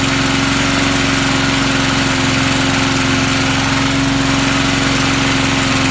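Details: Vintage Sears/Montgomery Ward push mower, likely stored unused since a winter, started right up without fuel additive: fast, even single-cylinder beat with steady drone, no misses or knocks; normal running.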